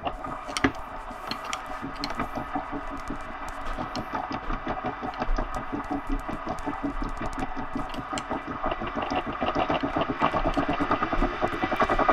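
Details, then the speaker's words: Elite Direto XR trainer: rhythmic creak and grind about three times a second tracking pedal speed; suspected loosening over time and a likely bad bearing on the power meter axle. "I think what's happening is there's some loosening over time and it causes that creaking noise"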